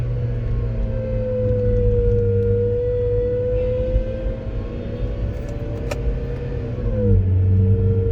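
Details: Bad AC compressor bearing: constant mid-pitched whine over the engine at all RPM, rising and falling with revs and louder when accelerating, sounding similar to a supercharger.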